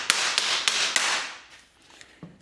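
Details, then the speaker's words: Original Yellowstone Park stagecoach wooden wheel with cracked spokes, tire tightness tested by hammer tapping: a few dull, flat thuds that die away fast with hardly any ring; the steel tire is loose and needs shrinking. "1つはハンマーで叩くことです。平らなガラガラという音がします。"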